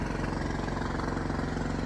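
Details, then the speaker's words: Energizer inverter generator running in an outbuilding during backup testing: steady, even drone with a smooth low throb and no knocks or surging, quieter than a previous non-inverter Furman generator; working well, not too loud. "It's been working really good for me. And it's really not too loud"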